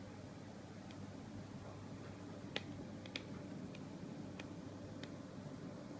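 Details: Brand-new LG 23MP75 LCD monitor connected by HDMI to a Windows 7 desktop gives sharp, irregular popping/clicking after about 7 minutes, over a faint steady room hum.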